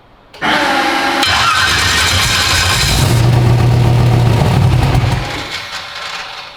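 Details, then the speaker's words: 372 small-block Chevy in an original S10; rhythmic starter cranking with brief catches that never pick up, then winds down. Owner suspects injector fuel pressure; engine cranks but won't start. "you got this thing running yet no man we we've been fighting it can't figure it out"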